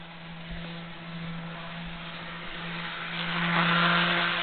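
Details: Jouef Amtrak RTG Turboliner model train, first test run after rebuild with a Kato F-3 diesel drive replacing a worn-smooth worm gear, at about 50–60 scale mph going to 79; even, steady motor hum swelling slightly, no grinding or stutter; normal running.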